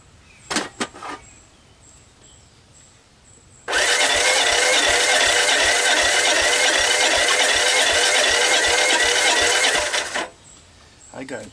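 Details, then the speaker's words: Honda ATC125 ATV, worn-out engine, about 90 compression; after a death rattle and stall, six seconds of quick, even cranking near four beats a second with jump pack, choke on, fuel at carb, never catches; cranks but no start, low compression. "nothing so where to atv doesn't start you got to start by asking a few questions such as do i have spark"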